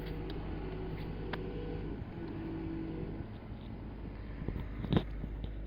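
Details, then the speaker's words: VW Phaeton 5.0 V10 TDI at idle, new genuine pump-to-steering-rack line: quiet steady mid-pitched whine over the diesel's low idle rumble; whining power steering pump, to be replaced without engine removal. "Cześć mały kłopot wyjąca pompa od wspomagania No bo rzeczywiście od pompy do maglownicy nowy w oryginale No i tak niestety sobie wyje posłuchajcie"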